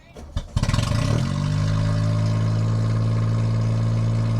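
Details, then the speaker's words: 1993 Geo Metro after fuel pump replacement, primed before cranking: short crank catches and settles into steady smooth idle, left to warm up; original fault not heard, replacement didn't fix the problem. "And there she blows. So we're gonna give that some time to warm up and see."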